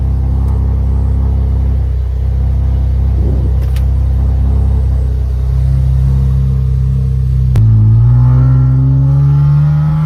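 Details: 2013 Camaro RS just after fuel pump replacement: catches and settles into an even idle, then revs up and down cleanly with no stumble, miss or pump whine.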